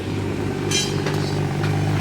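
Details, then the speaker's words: BMW N55 exhaust after refitting exhaust clamps in the correct position to cure a rattle: even, steady engine hum with a couple of light clinks, buzzing rattle gone, back to quiet; normal exhaust. "no rattle back to quiet here god damn thing hell yeah what's up it sounded like it's about normal man"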